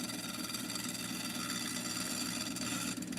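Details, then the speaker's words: Quartzite cabochon on a grinding wheel: fast, uneven ticking of about four a second over the wheel's hiss, because high spots on the not-yet-round stone catch the wheel. "hear that clicking that's because some spots are higher up than others"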